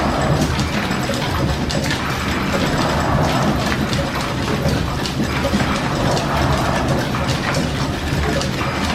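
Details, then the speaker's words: Steam engine driving line shafting while a shaper cuts a cast-iron slide-valve block: a busy clatter of shafting and gears under intermittent load, with the speed surging and settling repeatedly as the governor hunts to hold speed. "that right there now with a shaper put in the intermittent load on the shaft you can hear the governor chasing it around tried to keep the speed steady"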